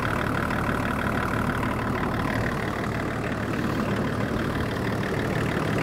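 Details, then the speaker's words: 24-year-old Range Rover P38 diesel, abandoned over five years, idling after coolant drain, refill and bleeding, jump-started, warming to thermostat temperature: smooth, even diesel clatter with steady beat, no misses or knocks; healthy normal idle. "so now that she's idling away there nicely sounding really nice"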